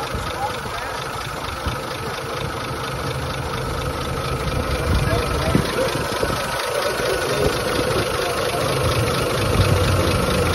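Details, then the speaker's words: 1920s Rolls Royce Springfield Ghost settling after start-up, both ignition systems on, shutters open: slow, even low tick at idle, steady, no knocks or misses, engine "purring". Normal idle. "Guess we're pushing her, huh? Listen to that engine purr."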